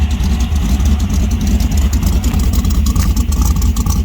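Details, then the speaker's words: 1966 Dodge Dart 273 V8 with a short-track Mopar Performance solid cam, warming up after sitting unrun for a long time: deep, uneven, steady lope at idle, about three lumps a second; a normal lopey idle from the big solid cam. "so this has got a short track mopar performance solid cam and i got from my good buddy rodney bird"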